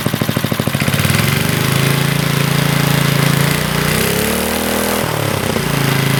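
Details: 40-year-old Briggs and Stratton single-cylinder on a garden tiller, after a carburetor rebuild, with the throttle adjusted because the owner suspected missing linkage: it coughs, catches, then settles into a steady buzz with a brief speed dip and recovery; it runs fine now.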